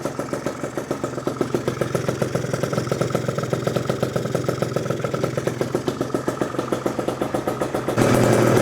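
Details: Freshly built PM Tuning 172cc Gilera Runner two-stroke Piaggio scooter engine, third start after coolant bleeding, warming up: quick, even popping at about three to four beats a second, no misses; healthy idle.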